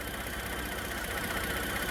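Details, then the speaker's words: Ford F150 EcoBoost petrol engine, after a vacuum leak part was replaced, idles evenly with a steady low rumble and no stumbles or misses; the earlier hiccups are gone and it runs smoothly, with slight belt squeal. "man, this thing runs real smooth."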